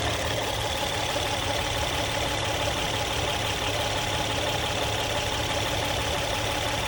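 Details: Engine idling after hydraulic tensioner replacement: smooth, even idle with steady hum, no ticking, rattle or slapping; earlier noise gone, healthy.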